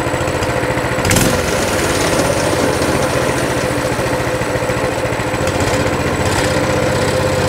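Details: Coleman CT200 mini bike, non-adjustable carb, throttle return spring disconnected: a steady, smooth single-cylinder putter at about 1600 rpm, near the 1700 target but fluctuating. The clutch stays disengaged: a normal idle.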